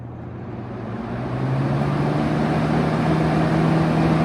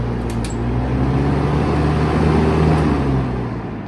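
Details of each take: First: 1971 Kel-Aire model 7000 20-inch box fan, started on high speed: motor hum climbs and settles into a steady drone with a faint flutter. There is a slight startup noise and shake, cause unknown. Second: 1971 Kel-Aire model 7000 20-inch three-speed box fan, unserviced and sitting in its box for a while, switched off: low steady hum and soft rumble fading as blades coast down; normal spin-down.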